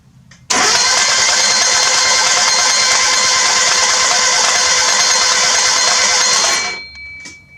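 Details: Newly built forged 500 hp-capable Mazda Miata engine, first cranking with plugs out and no belts to prime oil, oil gauge powered: about six seconds of fast, even whirring cranking with no compression pulses, then stops; normal.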